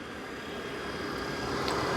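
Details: Coleman Mach RV furnace (RP-30Q) after a thermostat swap; it originally came on, shut off and wouldn't relight, and the sail switch was questioned. A steady low roar builds smoothly into an even hum: the burner lit and is running normally.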